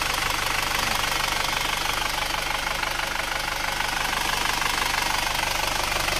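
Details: Isuzu Panther automatic diesel after repair (piston rings, valve seals replaced, radiator serviced), warm after 66 km road test, at idle: steady even clatter about two beats a second, no misses; previously died at low rpm, now healthy, thin exhaust smoke.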